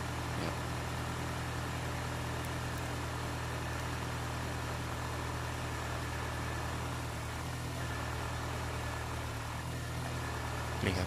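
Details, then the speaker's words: 2003 Honda City i-DSI after replacing belt tensioner idler pulley bearing (noise with AC compressor on), bolt torqued to 44 Nm; idling with AC on, steady even hum, no squeal or bearing growl, belt not fluttering, noise gone. "ตอนนี้คือเสียงหายแล้วครับปกติเปิดคอมแอร์จะมีเสียงดังขึ้นมานะครับอันนี้ทำงานปกตินะครับครับนิ่งสายพานก็ไม่เต้นมากนะครับกำลังใช้ได้"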